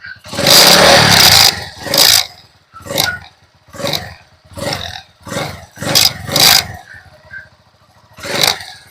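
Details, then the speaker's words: TMX Alpha 125 motorcycle, after restoring the charging system: repeated throttle blips rise and fall cleanly with headlight on high and low, settling to idle without stalling. Normal running; battery still weak and low voltage. "Hindi na siya namamatay."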